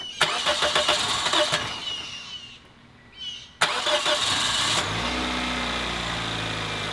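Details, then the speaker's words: 2008 Toyota Corolla, cold start after new spark plugs; engine burns oil from infrequent oil changes; rhythmic cranking, then a busy idle with a light rattly clack on top, indicating internal engine wear. "well it starts out better than it did but you can hear the engine clacking that shows it's worn internally you're just gonna have to live with that"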